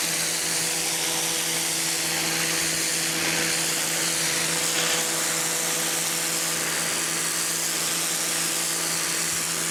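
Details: Campbell-Hausfeld PW1835 1800 PSI electric pressure washer, universal motor, new: steady motor hum with a low buzzing note under even spray hiss; running normally, owner feels pressure more like 1300 PSI.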